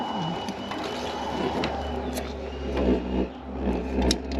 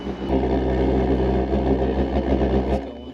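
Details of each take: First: WW2-style immersion water heater burner with a correct fuel drip: a deep, steady rocket-like roar with even rapid pulsing, firing properly. With too little drip it goes quiet. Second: WW2-style drip-fed immersion water heater burner: a steady roaring rumble that sags and fades as the flame starves, because the fuel drip is set too low.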